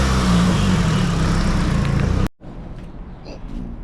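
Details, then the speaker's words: Nissan S15 SR20 with Garrett T28 turbo, after turbo gasket replacement and lock plates to stop nuts backing out: a strong even rev with a clean exhaust note, no exhaust or boost leak. "The car starts. No exhaust leak. Should be making all the boost now. No boost leaks anymore."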